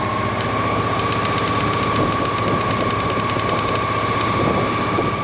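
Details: 1998 Honda PC800 running after fuel pump replacement: even, steady run with a constant level and smooth tone, no misses or knocks; engine sounds healthy.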